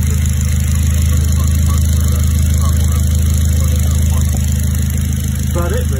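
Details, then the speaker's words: Mid-engined Triumph Spitfire after refitting the loose front pulley with thread lock and replacing the squeaking auxiliary belt pulley, with new Bosch 630cc injectors; deep steady even note with no squeal or knock, injectors sound slightly metallic; normal running. "That's about it, really. Car's running quite nicely."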